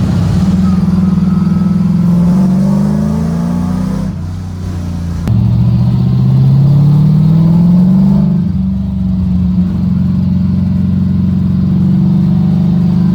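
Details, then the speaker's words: LS V8-swapped Mazda FC RX7 drift car, not driven in a while, on a test drive down the street doing a couple of pulls: strong V8 pulls with clean rising pitch through the gears, smooth and even, no knocks or misses; runs good. "i did take it down the street yesterday just to make sure it's still ran good you know for all i know it's been sitting it could just break up while i was running so we did a couple pulls in"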